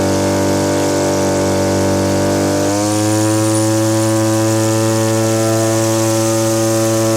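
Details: Small two-stroke (Stihl BG50 blower or Echo powerhead trimmer) after new fuel lines, ethanol-fuel water contamination: steady buzz shifting to a slightly uneven burble, smoking too much; carburetor set too rich (four-stroking), to be leaned out.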